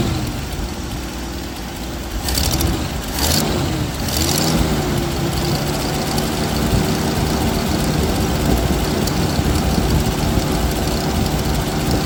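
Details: 1979 Jeep CJ5 after sitting since 2019, now fed fresh gas from a separate tank straight to the mechanical pump: uneven, lumpy idle surging and stumbling over low rumble; carburetor leaking fuel and sucking air, rebuild kit needed.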